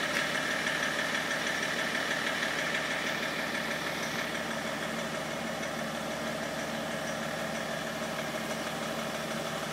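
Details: BMW 330cd E46 diesel idling with a steady, even clacking of about three per second over the engine noise; abnormal knock, cause not yet found.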